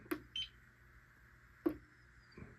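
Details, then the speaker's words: APC CS 350 UPS after squeezing battery terminal tighter: relay click, one short high beep, another click; powers up and goes online normally. "Oh. Yep, online. Right there. Sounds good too."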